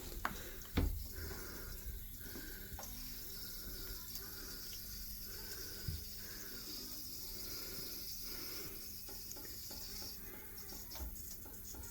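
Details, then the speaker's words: LG 10kg top-loader washer that has been leaking, water turned on at the inlet: steady, soft hiss of water over a faint low hum; fill valve hissing, leak source not yet found. "I'm turning the water on now so if you can hear that hissing sound this has been making that for the last two weeks"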